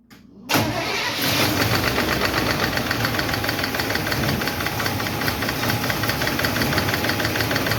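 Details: 1951 Chevy truck engine catches on the starter and settles into idle with a quick, even valve-lifter tick over the hum; number 4 intake and number 2 exhaust are still clacking, number 2 intake seems okay; the owner plans to re-tweak those two adjustments.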